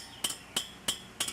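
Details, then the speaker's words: Hand-built bicycle wheel checked after a couple hundred miles by plucking spokes: five crisp, high metallic pings, each ringing cleanly rather than dull like loose spokes; properly tensioned spokes. "you should check the spokes for tension you can do that by listening to them tight one sound like this"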